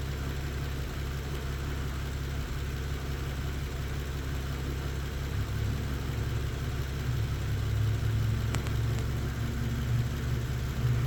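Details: Engine with a cylinder 4 misfire and intermittent P0300 code, test light on cylinder 4 then cylinder 1 coil: low steady idle hum with a faint uneven lope about three per second; misfire at idle.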